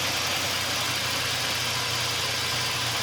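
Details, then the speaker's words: 1989 Ford Ranger engine, idling down: steady even low hum, no knocks, misses or surging, clean and quieter; normal idle. "The clean sound, you know, it's loud enough. Yeah. The engine's quieter."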